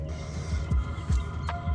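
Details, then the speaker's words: Vevor diesel heater newly installed in a tongue cargo box of a Nitro 12ft hybrid snowmobile trailer, heard from outside with the lid closed: soft uneven low thumps and puffs over a faint hum, burning normally with the exhaust muffler not yet fitted. "Still have to put the muffler on that, but with the lid closed, that's what it sounds like."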